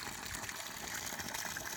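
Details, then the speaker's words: 9-year-old 5HP government-scheme solar pump system after Siemens starter/controller replaced with Delta; steady hiss and gush from the delivery pipe, even flow, about half output under cloudy low light; normal water delivery. "ಬಿಸಿಲು ಸ್ವಲ್ಪ rice ಆಗ್ತಿದ್ದಾಗೇ ನೀರು ಜಾಸ್ತಿ rice ಆಗ್ತಾ ಹೋಗುತ್ತೆ. So ಮೋಡ ಇದ್ರೂ ಇಲ್ಲಿ ನೀರು ಬರುತ್ತೆ ಇದರಲ್ಲಿ, ನೋಡ್ಬೋದು. ಮೇಲ್ಗಡೆ ಮೋಡ ಇದೆ. ಆದ್ರೂ ಇಷ್ಟು ನೀರು ಬರ್ತಾಯಿದೆ, ಆಲ್ಮೋಸ್ಟ್ ಅರ್ಧ ನೀರು ಬರ್ತಾಯಿದೆ."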